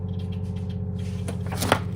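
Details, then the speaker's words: SimPure Y7 countertop reverse osmosis filter, new unit just powered on, automatic flush up to 30 seconds after two beeps: steady low pump hum with a faint tone and a couple of clicks, even and untroubled; normal flushing. "After powering up the unit, it will automatically flush for up to 30 seconds. And then you can use it."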